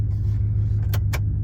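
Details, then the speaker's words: 1998 Dodge Ram 1500 with an open exhaust and no muffler, after exhaust welding: deep steady low rumble with no ticking or rattles, only a couple of brief clinks; healthy. "oh she's got the rumble oh she sounds even better"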